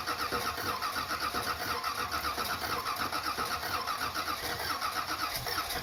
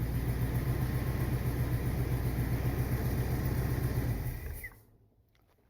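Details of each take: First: 1979 Corvette V8, not started in a few days, choke not hooked up, after replacing the mufflers with glasspacks: cranks, catches and settles into an even idle with a steady low rumble, no misses or lifter noise; exhaust leak on one side; healthy start and idle. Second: 1979 Corvette V8 with new glasspack mufflers, choke not connected, idling: an even lumpy pulse with a slight puffing tick, then shut off. An exhaust leak on one side, with no lifter noise.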